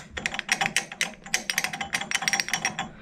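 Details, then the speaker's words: Harrison L6 12-inch lathe, clutch engaged at 1000 rpm after clutch repair: bright, uneven metallic rattle; one clutch plate has elongated pin holes; springs on three pins planned to stop it. "Now that rattle you can hear, one of the plates is got elongated holes, so it's rattling. So that rattling is this plate. Just rattling."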